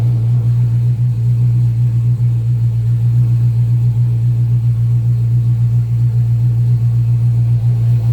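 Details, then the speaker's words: 2014 Dodge Charger R/T 5.7 Hemi at its first start-up just after a 6.1 intake manifold swap: deep, steady V8 idle with an even low burble and no ticks, knocks or misses; it runs normally. "all right everything looks good 6-1 intake on a 7 2014 charger see it is the rt that's a wrap"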